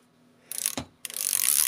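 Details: Tumble dryer disassembly, control selector knob cleaned: two crisp bursts of ratcheting detent clicks as the knob is turned, clean and distinct; selector switch clicking normally after cleaning.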